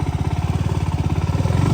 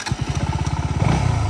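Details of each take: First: KTM Duke 200 riding in first gear: steady tick-tick-tick, about three knocks a second, climbing with road speed; present about two days and less bad at normal speed; worn chain and front sprocket, fixed by chain kit replacement. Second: KTM Duke 200 in first gear after chain and sprocket kit replacement: an even single-cylinder thump at about fourteen beats a second with no chain slap or rattle. Earlier noise was from the chain; normal idle.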